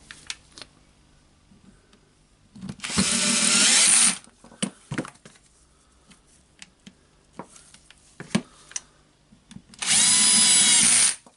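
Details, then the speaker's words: Hilti SF4000 corded drywall auto-feed screw gun after needle bearing (HK1312) replacement and reassembly: two short steady motor runs with an even high whir, no grinding or rattle, handling clicks between; running normally. "Okay, now we can see that the AC is good, it's moving. Of course, we will test the screwdriver itself. Yep, it's working."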